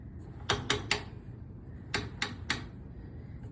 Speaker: you're going to hear that clicking sound that's just the rollers doing their job